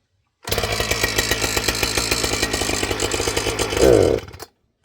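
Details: Husqvarna 455 Rancher strato chainsaw on the bench fires and idles with a fast uneven burble, then stumbles and hesitates right off idle, a bog; the low and high speed circuits sound tuned, and a tuning issue is suspected, not confirmed.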